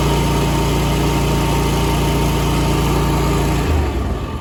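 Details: Small engine after replacing factory throttle assembly that kept slowing: fast even beat and steady pitch, then drops off smoothly at the end; running normally.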